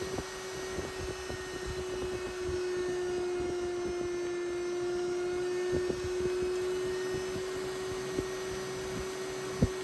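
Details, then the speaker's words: Dyson Pure Cool Me BP01 fan/purifier: steady high whistle over the fan rush that grows louder at higher speeds and vanishes without the filter; caused by a dirty filter seal, fixed by cleaning and reseating it. "There is a whistling noise It gets louder with higher speeds"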